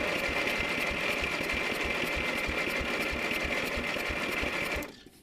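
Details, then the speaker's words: Abandoned lawn mower engine, crusty and found nearly seized with no oil, cranked by starter on a jumper: spins quickly and evenly with barely any drag on compression strokes; only a tiny bit of compression. "okay there's a tiny bit of compression but it is not not a lot"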